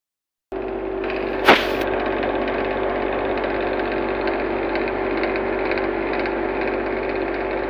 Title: blue star ac sound problem bad product bad service